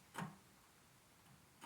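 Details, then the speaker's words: Bicycle wheel spinning in a truing stand, its spokes at the limit of adjustment: a single sharp tick about every 1.5 s, once per turn, as the bent rim hits on one side while the other side shows a gap. Out-of-true bent rim; new wheel recommended. "And you'll see as they come around, you'll hear it hit, but it's hitting on that side, because this side, you can see the gap."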